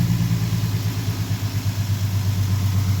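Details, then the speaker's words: 2015 Ford Mustang idling after water pump replacement (pressurized coolant reservoir cap also replaced); steady, even low rumble with no knock, tick or whine, engine bay much quieter than before the repair; normal idle. "there's the new water pump right here and apparently it must be going on for a while because it's it's the whole like the engine bay is like so much quieter now than what it used to be"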